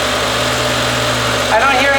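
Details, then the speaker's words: BMW M5 naturally aspirated 507 hp V10, neglected car with slipping clutch, oil change history unknown: steady smooth idle with even low hum, no knocks or ticks; engine sounds normal. "anything really weird out of the ordinary so that's a good thing"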